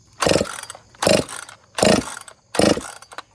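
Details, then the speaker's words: Freshly rebuilt ported Dolmar chainsaw during break-in, switch off, pulled over by hand: four slow pulls, harsh rasping with metallic hammer-like taps; owner suspects bearing, connecting rod or wrist pin failure; internal knock, failure imminent. "sounds like sounds like metal on metal almost like a hammer tapping Uh something's going on in there and she's about to pop"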